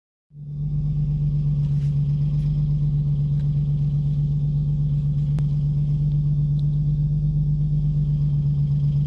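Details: 2007 Infiniti G35x 3.5 engine, about 166,000 miles, driven roughly monthly: recently started regular tapping of about four per second over a steady idle drone, source not found; owner suspects the timing chain tensioner. Engine knock at idle.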